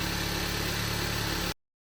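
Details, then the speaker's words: Hyundai Avante 1.6 G4FD, about 300,000 km, after block sleeving and full rebuild for piston knock: smooth, even idle with no knocking or ticking before cutting off. "Тишина. Никаких суков бряков нет. Работает ровно."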